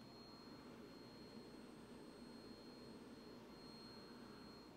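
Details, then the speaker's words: Yinlong LTO66160H lithium cell bank for car audio: faint steady high whine from the balance board, microphone placed near it, as it balances the cells individually on connection; normal. "you can hear that but so what that's doing is its ensuring that all the cells are individually balanced which is what we want that's a good thing we do not want them to get out of balance"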